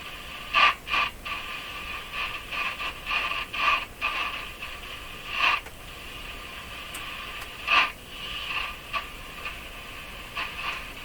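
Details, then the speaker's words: Hallicrafters S-40A shortwave receiver tuned back and forth through a scratchy area on bands one to three: hiss with irregular scratchy bursts, no longer like plates rubbing and unchanged when touching the stator plates. Noisy tuning, cause unknown. "let's try a different band that's band One there's a band two same kind of sound and three it no longer sounds like plates rubbing"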